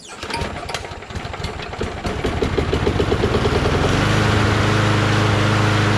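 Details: Single-cylinder engine: rough cranking and catching for a few seconds, then it settles into a steady, even drone; healthy running.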